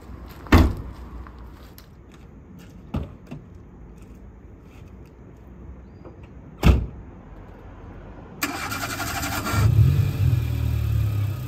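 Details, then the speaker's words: Old Renault Clio 1.2 petrol engine converted to pure hydrogen from a 170 bar 7 L boot tank with high-flow injectors: a few thumps, quick crank and catch, then a steady even idle; sounds and runs like petrol. "all right so here we are we're driving on hydrogen it sounds like a petrol engine it runs like a petrol engine"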